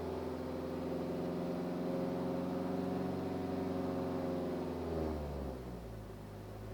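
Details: BMW 318d E91 2010 diesel, strange steady low hum above 2000 rpm while revving, fading as revs drop; cause not identified.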